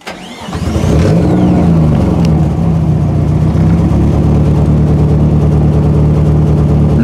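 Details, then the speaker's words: Nissan 240 starting and idling smoothly after installing a new DeatschWerks DW200 fuel pump; no whine over the engine, and the previous loud whining pump noise is gone. "I want to show you guys real quick the car starting up and running on the new Di Works"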